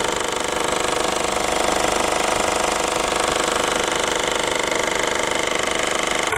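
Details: 2008 Peugeot 308 1.6 HDi diesel at idle: fast steady metallic buzzing rattle about three to four beats a second; split upper heat shield near its engine bolt point chattering against the engine.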